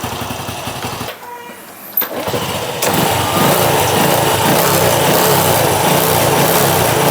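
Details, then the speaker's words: Honda Wave 100 motorcycle that would not start: fouled spark plug replaced with C6HS, dirty carburetor cleaned, air screw about 1.5 turns out, idle raised. After repair it starts after a short crank and idles steadily, crisp throttle rise; normal start and idle. "ติดง่ายเร่งติดมือนี้ครับโอเคจบงานพร้อมส่งลูกค้าครับ"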